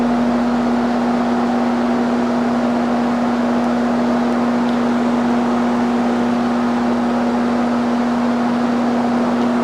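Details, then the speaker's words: 1969 Sears (Vernco) box fan, 3.7 A 1/12 HP motor, on high speed in exhaust direction: constant smooth whoosh with a steady low motor hum, no rubbing, ticking or wobble. Runs fine. "start it up on all three exhaust speeds starting with high so that you can hear if there's any difference between intake and out"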